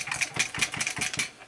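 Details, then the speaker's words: 1995 left-handed American Standard Stratocaster, body shaken: light metallic rattles in quick bursts of about five per second from a loose screw rolling inside the body. The guitar also has a weak middle pickup. "There's something going on with the pickups, and there is something rattling inside. I'll let you hear the rattle really quick."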